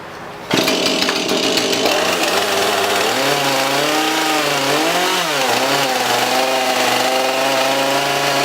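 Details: Husqvarna 440 X-Torq chainsaw fires and holds a strong, clean high rev with smooth pitch changes under throttle, no bogging or rattles; running healthy while checking oil flings off the bar.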